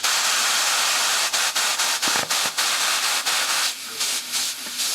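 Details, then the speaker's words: Push bike tyre left about two years, being pumped with an air compressor: loud, steady high hiss of air, pulsing slightly as it's handled. Air is escaping from the tyre valve, not a puncture. "Oh, it's just coming out the valve. That's why. It's just coming out the valve. I thought it had a puncture for a minute."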